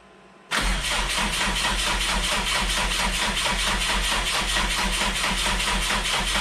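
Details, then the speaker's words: Freshly rebuilt rally car engine, first start after dry cranking for oil pressure, no leaks found: cranks briefly, catches cleanly and settles into a steady even idle with no knocks or misses; first start went well. "put the motor in, first start went well, first drive cycle went well."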